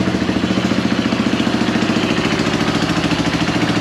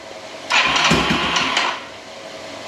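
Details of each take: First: Yamaha YFM225 quad after rebuild, first start with oil primed: even, steady single-cylinder thump at idle, about three and a half beats a second, no knocks. Slight exhaust leak and some smoke, no oil leaks; sounds healthy. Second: Rebuilt Yamaha YFM225 ATV first start attempt after rebuild: starter whirs and churns about a second without firing, then stops; engine cranks but won't start; oil system later primed before retrying.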